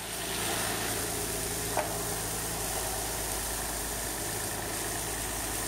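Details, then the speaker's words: 2003 Nissan Altima VQ35DE V6 idling after a timing chain tensioner repair, quiet and steady with no ticking, hunting or stumbling; alternator unhooked, no check engine light; healthy idle. "hat hey no ticking no nothing your uh alternator light is on because the alternator is not hooked up but it running it's purring like a kitten listen to that just the way God intended isn't that beautiful"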